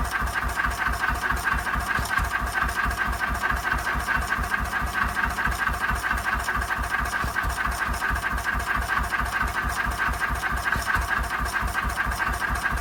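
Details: 1926/7 National 5V petrol-paraffin single-cylinder engine after new piston rings, running on petrol off load with Cox Atmos carburettor nearly shut: steady, even beat about two firing pulses a second, no misses or knocks; running cleanly.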